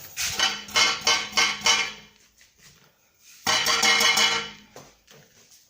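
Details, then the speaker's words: Mazda 3 front suspension: damaged front brake disc dust shield gives thin, tinny metallic rattles when struck. This is one cause of knocking on gravel and small bumps, alongside worn stabilizer links and front silent block. "Плюс пыльник переднего тормозного диска. Если слышно, он дребезжит."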